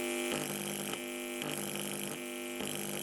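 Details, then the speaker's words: Homemade solar AM radio (ZN414 receiver, LM386 audio amplifier) on a lab supply at first power-up: steady buzzy hum with stacked tones and a rough rasp pulsing about four times a second; excessive amplifier gain, gain limiting planned. "yeah there's a lot of gain there right so you can hear the buzzing sounds like a small guitar amplifier"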